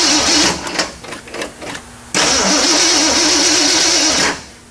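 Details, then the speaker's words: 1979 AMC Spirit AMX, carbureted AMC 304 V8 rebuilt about 20,000 miles ago, after a Carb Cheater install: starter spins with an even whirring wobble for two seconds, never fires. There is no spark because the ignition coil wires are off. "poop why do I have no spark oh ignition coil wires off I bet that'll affect it"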